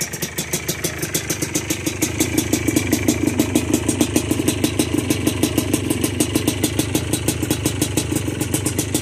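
Crisp, even two-stroke popping at a steady rate with light blips of throttle, no knocking or rattle; engine runs healthy.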